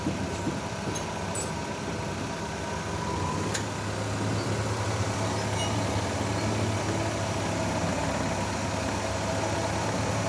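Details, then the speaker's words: 2011 Chevrolet Lova petrol engine, previously knocking, just restarted after carbon cleaner decarbonising with spark plugs cleaned: even idle with a light steady injector tick, no heavy knock; normal idle. "Ini mesinnya udah nyala, coba kita dengarkan knockingnya masih ada apa enggak."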